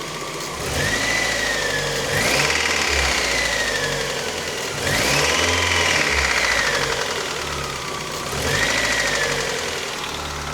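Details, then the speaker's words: Miata idling with brand new alternator, charging at 14 V, oil pressure 60: rough idle with light knocking about three or four beats a second under a wavering whistle; knock cause unknown, oil pressure good. "Feels like it's knocking. It shouldn't be. Oil pressure is good. So, I don't know what's going on."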